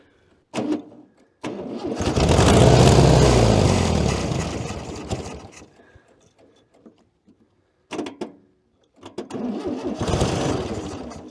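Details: 1966 VW Beetle, not started in over 10 years in a junkyard: the engine cranks, catches in a rough surge, dies and stumbles back unevenly, and will not keep running. Owner suspects a fuel blockage from the front.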